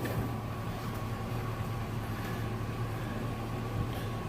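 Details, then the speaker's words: Truck with an annoying clicking from the multi-switch (which also carries cruise control), after its contacts were cleaned and reassembled: the engine runs with a steady, even hum and no clicking. "Start the truck. We have no clicking."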